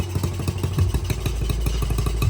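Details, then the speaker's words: Honda CT70 after timing and valve adjustment: small single idles with uneven loping pops and clattery beat, a little smoky, but responds to throttle; rough idle, needs cleaning. "you can hear it in the exhaust it's not it's not idling smooth but it idles"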